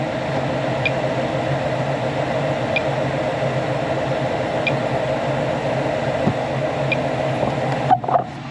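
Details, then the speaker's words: Furnace on a no-heat call that earlier shut off after two minutes, now running 5–6 minutes with dirty filter: steady rush of air and burner roar, faint occasional ticks, no rattles or cut-outs; operating normally. "So right now, it's still running. I'm just listening for any weird sounds or change the filter."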